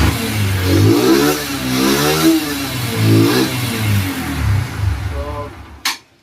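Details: Enticar motorcycle engine after fitting cylinder: revs up and settles in slow even swells, steady low beat, no knocks or rattles; normal revving.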